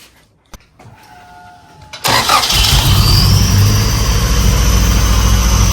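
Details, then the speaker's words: Acura Integra that had been idling very high, throttle cable just adjusted, strong fuel smell: long weak crank with stumbles, catches into a loud, uneven, lumpy idle; hard starting and rich running, owner suspects the injectors. "I can smell a lot of fuel so I'm wondering if it's the in the injector"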